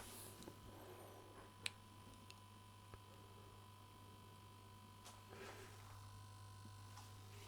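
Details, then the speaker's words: Late-1960s East German Vermona MV3 tube guitar amp powered up on dim-bulb tester, heaters glowing, about 200–270 V: steady low buzz at twice mains frequency with faint clicks; mains hum, source unknown. "Something is buzzing over here. Well, it is working."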